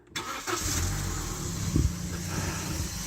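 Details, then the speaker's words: Used hot hatch with a rebuilt timing chain and head, engine started and settling to idle: a dry, gritty rumble rides on the idle from a dry bearing in the AC compressor; spraying grease on the belt does not quieten it. "can probably hear there we've got a dry bearing."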